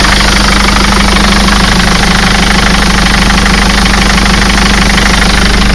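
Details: Mercedes Sprinter 903 CDI diesel that cranked without firing in cold weather (new glow plugs didn't help), first start after fitting a reconditioned starter motor; starts and idles with a steady, even low drone, no misses; normal idle.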